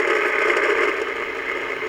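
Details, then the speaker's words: Original Yaesu FT-101 transceiver (no letter suffix), powered on after the power switch, line filter capacitors and fuse lamp were replaced, volume raised: a steady hiss with a rough crackle and no low end. The owner suspects the speaker may be in rough shape. "oh we got some noise sounds a little crackly almost actually sounds like the speaker might be a little in rough"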